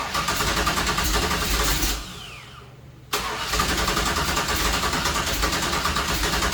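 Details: 1966 Chevy Nova wagon with a supposedly rebuilt 327 small block, long sitting, start attempt fed fuel straight to the carb: engine cranks, catches and runs unevenly, cuts out a second, then restarts; owner suspects ignition timing too far advanced, unconfirmed.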